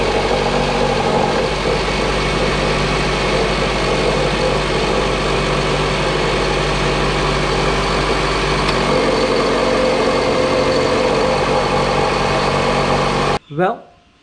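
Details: Proton Inspira (Lancer 08) before replacing idler pulleys, V-belt and tensioner: engine idling with loose uneven chatter and faint thin tone on top; accessory belt noise, tensioner suspected, with some play found in a pulley.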